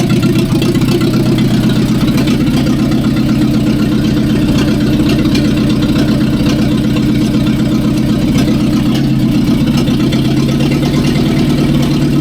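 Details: 1945/1946 Allis Chalmers Model B tractor, magneto ignition, barn-stored about 20 years, idling after dirt was cleaned from the carburettor main jet: steady, even low chuff with no misses, knocks or hunting, settling to a regular beat; running sweet.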